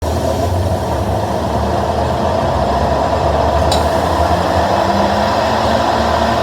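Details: GE top-load washer during spin makes a loud steady jet-like roar like an airplane; broken tub bearing and gaskets suspected.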